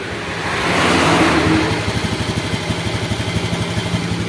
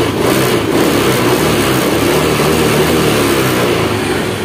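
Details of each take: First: Honda Scoopy ESP fuel-injected scooter on a borrowed battery, hard to start. It starts, then its idle swells and sags instead of holding steady. The fuel pressure gauge needle rises and falls with weak pressure. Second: Honda Scoopy ESP fuel-injected scooter after replacing clogged fuel pump filter revs up cleanly and holds an even, steady note, fuel pressure gauge needle steady, starting on first kick.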